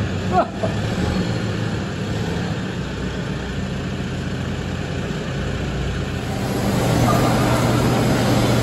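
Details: Nearly 300,000 km diesel, not started for 2 months: a brief crank, then it catches and settles into an even idle with no misses or knocks. A healthy start after storage.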